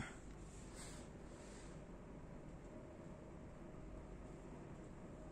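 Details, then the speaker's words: Motorized roller blind tube motor raising and lowering: low, soft, even hum with no knocks or jerks at stop or start, much quieter than a common market motor; smooth, quiet normal running. "Hai suaranya halus Hai tingkat kebisingannya juga sangat berbeda dengan motor yang ini jadi tidak tidak Berisik"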